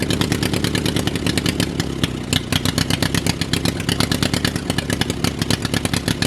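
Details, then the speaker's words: Drag race lawnmower small single-cylinder engine at first start after sitting a long time: fast, slightly uneven popping with a brief stumble; runs only on choke, owner suspects fuel filter. "whoa all right she runs on choke only all right guys so you just saw she fired the first time she does not run without the choke on"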